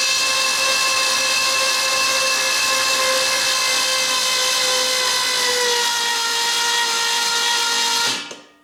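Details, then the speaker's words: Freshly built Ford 429 ThunderJet on the floor, for a '66 Fairlane, with spark plugs out: steady, even, high whirr with no firing or knocks as the starter spins it to build oil pressure, which came up. "i'm spinning it over see if oil pressure come up got all the spark plugs out of it"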